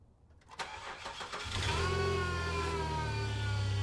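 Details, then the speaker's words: Free used car on a cold start: it cranks briefly, catches, and settles to a rough idle with a whining tone over it while the alternator visibly jumps. There is no knocking or ticking, and the noise is unidentified. "you can hear it you can definitely hear that you heard that look at that alternator right there it's just jumping but I don't I don't know what that noise is"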